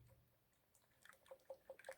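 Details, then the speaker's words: Removed gas valve from a 2006 American Standard Freedom 80 Comfort R (Trane) furnace submerged in a seven-foot basement flood: irregular drips and trickles of dirty water falling out; valve waterlogged and dangerous to use. "water dripping out also so never try to use a waterlogged gas valve it will be a danger"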